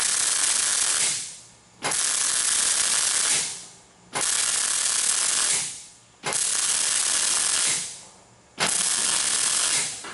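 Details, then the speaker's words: MIG stitch welding a lid onto a fuel tank along a 48-inch seam, pulsing half to 3/4 inch at a time. Crackling arc hiss comes in roughly two-second bursts, with the metal starting to pop as the heat expands it. This is normal. "so you can hear the metal on the ch starting to pop a little bit as I'm welding"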